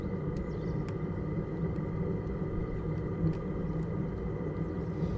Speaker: the only thing I've noticed with this is when it first starts up until it kind of gets up to temperature the exhaust is a little bit raspy and obviously you can't put a silencer on that or not the standard one